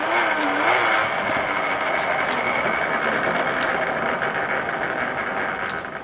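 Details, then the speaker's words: M-type treadle lathe turning an old Renault driveshaft: even scraping hiss of the tool in steel with light ticks from the treadle, no chatter; a clean, steady cut. "Okay. Well, not too much chatter there, I have to say, which is good."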